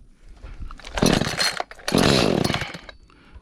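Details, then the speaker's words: Echo CS310 chainsaw two-stroke, brought in for no start, no idle, no cut, just after carburetor change, first fire with choke: ragged surging bursts then drops off, won't hold steady; erratic running, needs carburetor tuning. "think this bad boy need to be tuned up"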